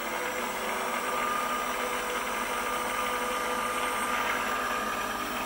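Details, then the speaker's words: Precision Matthews PM-728V-T mill spindle on the high-speed pulleys, at over 3,000 rpm up to max speed: smooth, even, quiet whir with no knocks or roughness; normal high-speed running, spindle bearings healthy. "now we're starting to get a little faster this is over 3000 rpm so here we go that's it that's wide open that is max max speed it's pretty quiet in the vibration"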